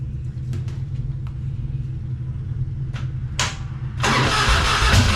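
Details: 1999 Harley-Davidson Fatboy after gas tanks cleaned and reinstalled, started on a jump box: a few clicks and cranking, then the V-twin catches at about four seconds and settles into a steady loping idle; starts fine.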